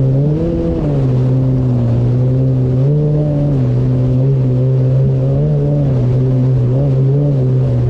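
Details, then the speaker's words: 2019 Yamaha GP1800R WaveRunner, supercharged 1.8L, test run on the water after supercharger clutch replacement: strong steady drone rising and falling cleanly with throttle, no rattles or slipping; running normally. "Okay, so back on the water. Just a quick run to make sure everything is good."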